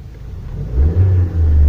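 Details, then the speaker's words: Fourth-generation VW Jetta 2.0 after replacing the failed ignition coil that caused misfire and power loss: quiet steady idle, revs climb and drop cleanly with no stumble. Normal idle and revving. "se estabiliza, sube y baja sin broncas, ¿vale? Entonces fue la bobina de encendido la que ya dio todo lo que tenía que dar."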